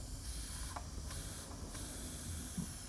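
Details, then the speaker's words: Brand-new air compressor, motor off after reaching about 150 psi cutoff: a faint steady hiss. Air is leaking from a pipe fitting installed without enough Teflon tape or pipe dope. "yeah so uh whoever installed this either didn't put enough um teflon tape in there or a pipe dope and it's just you know it's just leaking"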